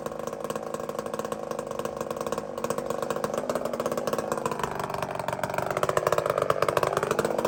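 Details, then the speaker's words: Two-stroke chainsaw during carburettor tuning, fuel looking like straight gas: hard buzz climbing to a thin, screaming high rev; lean over-revving. "friends Listen to How high this thing screams"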